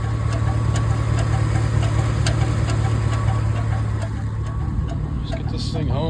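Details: 2006 Chevrolet Silverado idling V8, new engine-area noise that is worsening, oil pressure still good: quick fairly regular metallic rattle over the engine note; source unclear by ear, cause not confirmed.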